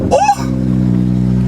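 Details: Manual car: brief crank catches within a fraction of a second, then settles into a deep, steady burble; clean start and even idle.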